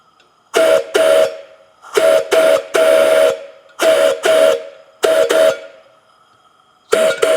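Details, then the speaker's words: Buckeye three-chime steam whistle after TIG-brazed red brass repair, blown on compressed air: short blasts of a clear three-note chord with faint air hiss between; whistle works normally. "seems to be working pretty good I hear a little bit of air escaping in there I'm not sure exactly what's going on but that's not unusual"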